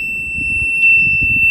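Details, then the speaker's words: Retrofitted VEGA VGS24 parking sensor on a BMW E46, volume set to middle, judged optimal: clean, steady, continuous high-pitched tone at moderate volume; buzzer working properly. "also die mittlere Lautstärke ist optimal das andere ist mir schon viel zu laut"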